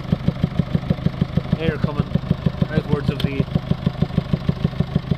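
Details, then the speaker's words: 2019 Mercedes Vito taxi diesel with EGR fault P300A7A and cracked DPF passing soot: heavy rhythmic puffing at idle, about three a second, air pushing back out of the open intake; blow-back the customer says is new, cause unconfirmed. "he's explaining how this this noise this heavy breathing sound coming from the engine wasn't there b"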